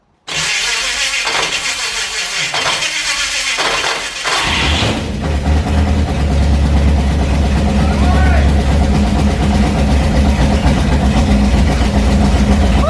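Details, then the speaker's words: HT Holden newly installed 253 V8 with straight headers: starter grinds in bursts, then it catches and runs rough and clattery at fast idle. It sounded rattly with no oil pressure shown during the brief run, oil just below full; a transmission cooler line leaked. "And we didn't see any of it, and it sounded, well, rattly."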